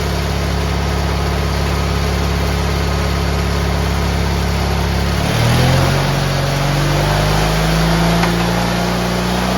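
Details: GT18 garden tractor twin, carburetor refitted and repairs done, air cleaner still off: idles steadily then picks up smoothly to a higher even pitch without bogging; previously it flooded and chuffed smoke past half throttle once warm.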